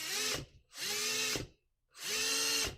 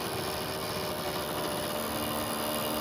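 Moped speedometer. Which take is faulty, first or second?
first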